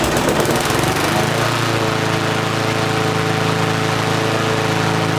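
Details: Free push mower with a classic Briggs engine after a repair: after a brief start-up it settles into a steady, even putter with no misses or knocks; runs normally.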